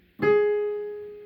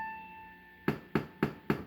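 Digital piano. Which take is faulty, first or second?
second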